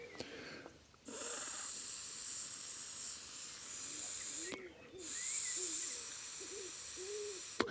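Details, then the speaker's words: BMW 530d Touring rear air suspension compressor. Air blown through the release valve with no power applied makes a breathy, bursting hiss where the closed valve should block it. The release valve is sticking open, causing intermittent suspension deflation. "but we do hear escaping air and now when i connect it um it should try and sort of close well open and then close"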